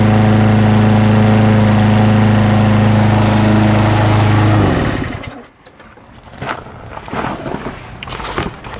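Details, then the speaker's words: Sears Craftsman lawn mower with a 6.75 HP engine, after a new cord, tune-up and carb cleaning, in weekly use for over three years; steady, even single-cylinder drone with no misses, then a clean shutdown; normal running. "it's been running good and I've used it almost every week for uh almost 3 years"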